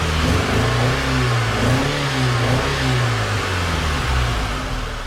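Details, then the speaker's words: 2006 Mitsubishi Eclipse with replaced head gasket, after cutting in and welding a new muffler and exhaust tip. A deep, even four-cylinder exhaust burble swells with each rev, with no rattles or leaks. Normal exhaust note. "Exhaust tip looks pretty good. Sounds pretty good."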